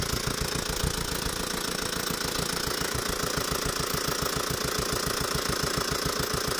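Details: Tata Safari Dicor diesel at idle: sharp, even clatter three to four times a second; five broken rocker arms from slightly wrong timing belt and being started without engine oil.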